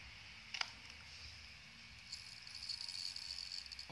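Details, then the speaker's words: Second-hand hard disk plugged in after earlier sounding abnormal: a sharp click, then a faint steady high whine and light ticking as it spins up; now sounds like a normally running hard disk. "hardisk nya bersuara cuman suaranya ah kedengarannya Tadi suaranya kayak artis yang nggak normal tapi sekarang kayak harddisk yang normal"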